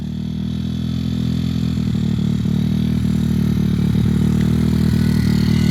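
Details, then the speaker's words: Z160-engined CRF50 Chinese-frame pit bike on its first test ride: a steady high drone that never drops back to idle, with some exhaust popping. The throttle is sticking open, cause unknown. "It definitely sounds like it's popping or something. You don't have to keep the throttle open, I can tell. I don't know why it's sticking."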